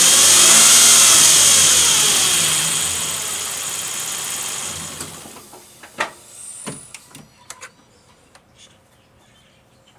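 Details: 2007 Nissan Frontier, problem appeared suddenly: a loud high whine right after start-up that fades as the engine settles, the common timing chain issue covered by Nissan bulletin NTB09-128 and repaired by the dealer.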